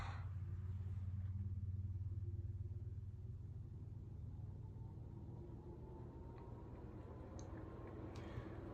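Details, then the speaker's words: Restored 1936 Emerson 86641-AA 36-inch electrically reversible ceiling fan, rotor freed after seizing, balanced with blade weights, at full speed in reverse: quiet low hum and soft rhythmic air whoosh, no rubbing, ticking or wobble; running smoothly. "yeah so this fan running on Full Tilt in Reverse like this uh man you really feel it all around the room the air is kind of coming down the Walls it's really refreshing this Fan's quiet too"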